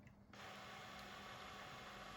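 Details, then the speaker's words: PS4 disc drive with very slow intake and eject, FIFA 20 disc inside, before repair: faint whirring and ratcheting from the mechanism keeps going but the disc won't come out; owner suspects dirty rollers; failed eject. "not really able to remove the disc so i think it's just some dirty rollers and doesn't seem to be putting dirt on my disc really"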